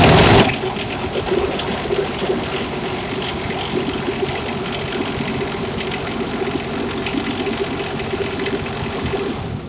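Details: 2021 Berkshire XL 40E RV diesel generator started after priming and holding start through preheat: short loud crank catching immediately, then steady even drone; normal start and run.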